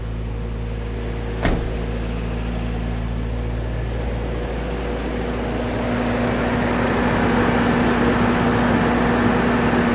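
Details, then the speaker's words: Toyota 4Runner engine after valve adjustment, brief run; after a click settles to a steady even hum with no valve ticking, much quieter, though idle still noticeably high. "It seems to, I don't know if you can hear me stepping back from it, but it seems to actually be a lot quieter. Obviously the idle is still high, but I'm gonna back this thing up."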